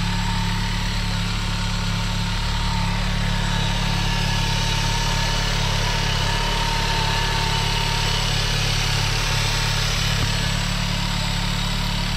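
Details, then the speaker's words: 1997 VW Golf Estate Joker Edition at a steady, even idle with a low, smooth hum and no misses, knocks or hunting. It sounds decent for a stock car, though a possible exhaust leak is unconfirmed. The idle is normal. "it's actually got like a decent little sound to it whether it's an exhaust leak i don't know but for stock i mean not a horrible sound"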